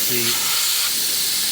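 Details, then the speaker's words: Jeep Cherokee XJ 2.5 turbodiesel, GT2052 turbo rebuilt after a collapsed oil drain hose blew its seals; intake pressure test at standstill: a sharp, steady high hiss of escaping air, a boost leak at an intake coupler. "wastegate should start moving just holding pressure pretty good you can hear a leak there yeah obviously"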